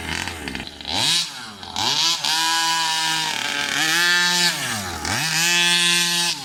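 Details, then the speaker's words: New Rovan 36cc double-ring two-stroke in a King Motor Baja 5B, fresh gasket-based oil, warm-up then hard runs; wails up sluggishly off the bottom, pulls away like a 26cc; exhaust suspected, leaner made worse. "So, first impressions, not that good. That really didn't pull well at all. So I don't know if it's the exhaust holding it back, but as you could see, the pull away is like a 26cc."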